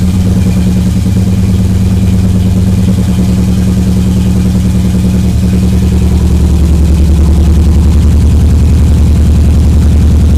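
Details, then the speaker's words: 1991 Subaru EJ22T with EJ20G DOHC head swap and RobTune EJ20G ECU, first start after coil-pack wiring fix: loud, lumpy uneven idle stumbling about three beats a second; misfiring on a cylinder, cause not found, hissing suspected vacuum leak. "no it's definitely working is just misfiring for another reason yeah we got to figure out which cylinder it is"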